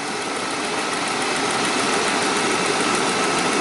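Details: 2007 Saab 9-3 after a no-crank dead battery was replaced, about 90°F, voltage being checked at the new battery: steady, even idle hum with no misses or stumbles and a little hiss; alternator charging 14.3 V, engine running normally.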